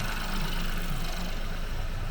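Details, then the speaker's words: Ford 1.0 litre EcoBoost, saved from scrapyard after permanent oil warning, just restarted and idling: smooth steady low hum, no knocks or misses, no fault codes, normal idle. "Saved from the scrapyard. I'm going to let this car tick over, get it up to temperature, make sure that the fans are coming in and everything is working as it should."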